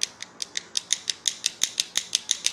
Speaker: you hear that kind of clicking around their door is not super tight so take care of that